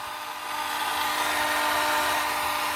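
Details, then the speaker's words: 2019 Honda Civic Sport CVT just after engine start: steady high-pitched whine holds over the running engine, followed by a burning smell; owner suspects the starter is still spinning, not confirmed. "Is that what the... Oh, that ain't the fan. That is something else. I think that's the starter."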